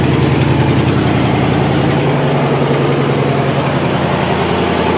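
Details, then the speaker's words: 1969 Buick Skylark Custom V8 at cold start after long storage, idling: a deep steady rumble with a fast ticking chuff from an exhaust leak at the passenger-side exhaust manifold. "you can hear it's got an exhaust leak in the passenger side exhaust manifold"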